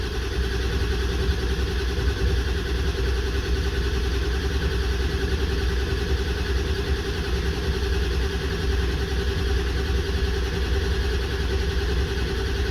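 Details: 1994 Ford 7.3L Powerstroke diesel pickup, sat 4–5 years, after fix for long crank (earlier no-start from bad mechanical fuel pump), now running: steady low diesel clatter at even idle, no knocks or stumbles; engine running normally.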